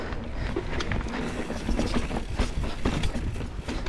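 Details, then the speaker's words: Poseidon Norton bike after upgrades, rider pinching the seat after hard riding: irregular sharp creaks and pops, several a second, under load. He first suspects the frame, then thinks it's the headset, with the noise reverberating through the aluminum frame. Unconfirmed. "so I pinch the seat I'm trying to make it crink and pop I don't know what it is um I'll definitely inspect the frame because I've been beating the crap out of it"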